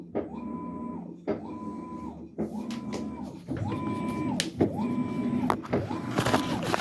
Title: washer making knocking noise during wash cycle